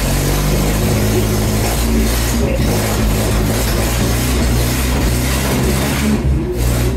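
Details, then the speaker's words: Renault R2087 (Goélette) 4x4, freshly started for the first time in a long time after engine rebuild, alternator and electric fuel pump fitted, weak old battery: loud, deep, steady drone holding even with no knocking or stumbling; normal idle. "Bắt đầu tốt rồi. Pin hơi yếu. Đó là một cục pin cũ."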